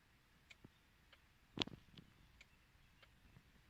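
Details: 2007 Mercedes C 220 CDI that won't start or crank: the key turns fully but nothing happens, and with the key removed faint, uneven tick-tock ticks come about every half second in the silent car; the cause is unclear.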